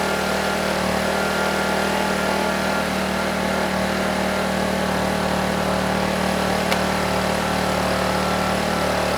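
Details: Honeywell HW2000i 2000 W inverter generator (2002 engine): steady constant drone under 1500 W load, no hunting or surging; frequency and voltage rock solid, idles down smoothly; owner doubts a carburetor issue.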